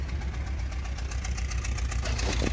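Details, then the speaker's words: 1994 Toyota Previa LE SC AllTrac mid-engine van with a leaky cooling system, just after a cold start: low, lumpy, stumbling idle; runs rough for about 30 seconds until warm on most starts, with no coolant coming out the back. "do you hear that it just doesn't run well but there's no coolant coming out the"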